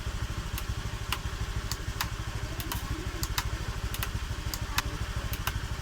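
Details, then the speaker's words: Honda Vario 125 (old) at 91,000 km after replacing connecting rod and crankshaft, which had sounded rough: even steady idle with regular low putter about three beats a second, no knock or rattle; engine now normal. "berarti normal Semua"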